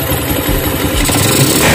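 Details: Carburetted motorcycle that died when throttled, after reassembly; steady even small-single idle, smooth unbroken beat, no stumbling. Normal idle.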